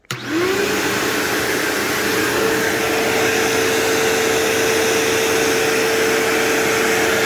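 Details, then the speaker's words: New-old-stock 2007 Bissell PowerForce 3525-2 upright vacuum: quick spin-up to a steady, even motor hum with airflow rush and no rattles; sounds exactly like the owner's 3522, running normally. "Wow. That sounds exactly like it should. It sounds exactly like my 3522. That is amazing."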